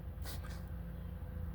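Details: 2012 Honda Accord 2.4L after the crank pattern relearn and cleared misfire codes (P0302, P0303, P0300): a quiet, even low hum at idle with one brief outside noise, no stumble or misfire; fixed, and it accelerates fine.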